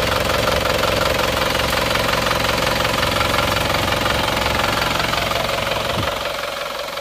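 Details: Isuzu Panther pickup diesel after rebuild and injection pump timing advanced: fast even crisp idle clatter, slightly hard-edged but steady, fading at shutdown; still smooth, livelier, no exhaust smoke.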